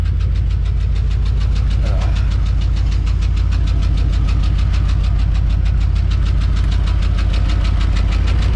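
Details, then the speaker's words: 1993 Ford Bronco at idle just after new transmission cooler lines were installed: steady fast tick of about three or four a second over a deep idle rumble; owner blames a ticking lifter despite an earlier idle fix. "you know I thought I fixed that idle issue Mary oh you guys can really hear that lifter tickin"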